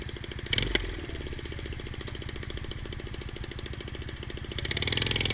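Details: Honda Rebel 250 single-cylinder idling with sharp, crackly puffing ticks on every firing; exhaust header leak because the header nuts loosened and fell off.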